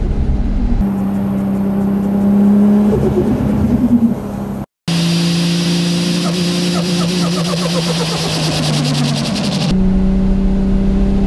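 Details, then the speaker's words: Nissan Skyline R32 GTR with big single turbo, driving: steady pull, then each sharp throttle lift brings fast fluttering chatter that dies away; closed-throttle compressor surge, likely more harmful to performance than to turbo. "you always read the people going on good life is going to destroy your turbo with that noise it is true that like it's more probably more destructive for your performance than it is for the turbo"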